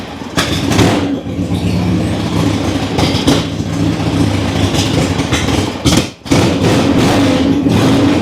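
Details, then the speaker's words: Harley-Davidson Ironhead: deep even V-twin beat with steady loping exhaust, no knocks or clatter; runs and rides well, no leaks. "Oh yes, sounds good, rides good, runs good. What more can you ask for out of an Ironhead?"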